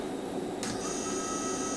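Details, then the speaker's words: BLDC motor on its controller, powered at 24 V after failing at 12 V despite the datasheet, with new firmware needed: faint, steady high whine holding an even pitch as the motor spins clockwise; runs properly. "the motor spinning as you can hear it is spinning clockwise"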